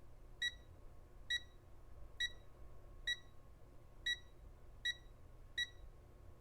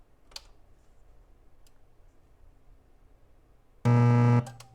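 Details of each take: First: Rotel RSX-1067 receiver, known-good rotary encoder (24 pulses per revolution) tested with multimeter continuity beeper over a half turn: twelve crisp, evenly spaced beeps, none doubled or missing; a properly functioning encoder. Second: Rotel RSX-1067 receiver with about 1.5 V AC on the output, no input connected, one speaker attached: a loud, steady low buzz; mains hum from a failed filter capacitor, with C1080 (4700 µF 16 V) to be replaced.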